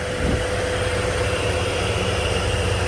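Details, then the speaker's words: 2006 Dodge Ram 1500 quad cab, 3.7 Magnum V6: smooth, quiet, even idle hum with no ticking or knocking; owner expected a V8 but says it runs good and quiet, healthy normal idle. "figured it'd be a V8. Runs good though. Runs good and quiet. Sounds good."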